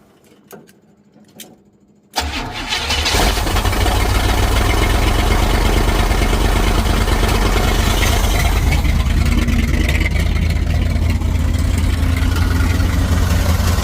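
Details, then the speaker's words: 1955 Buick Super, 455 big-block on 1973 Electra frame, after installing a new fuel pump: catches in about two seconds and settles into a smooth, even, deep idle with no throttle, no knocks or misses. Normal idle. "Oh yeah, no throttle. Purrs like a kitten."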